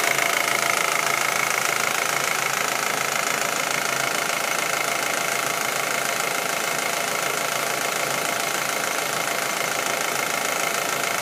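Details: Audi A4 1.8T petrol engine, warm idle: light steady ticking a little over two per second, appearing once the engine gets warm.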